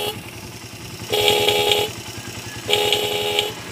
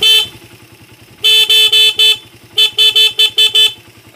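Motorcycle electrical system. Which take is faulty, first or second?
first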